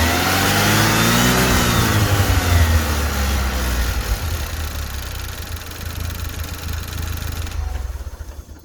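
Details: Saturn Sky after replacing the drive belt tensioner, whose old bearing had failed: engine revs then settles to an even, smooth run with no belt chirp or tensioner rattle; belt drive sounds healthy.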